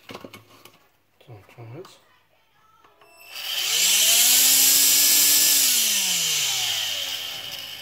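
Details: AEG CX7 cordless vacuum, after cleaning dirt off the motor fan impeller that made it loud and vibrating: motor spins up to a smooth, steady high whoosh with no wobble or rattle; normal vacuum motor run.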